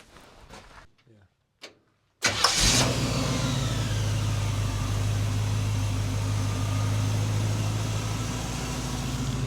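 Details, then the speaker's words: 1963 Chevy pickup after tune-up work (new carburetor, radiator, hoses, water pump, battery): engine catches and settles into a steady but fast idle with an even low beat; new carburetor idles too high, cause not yet known; belts still slightly loose. "we're having an issue with the carburator running a little high idle I I'm not sure exactly what's wrong with that yet"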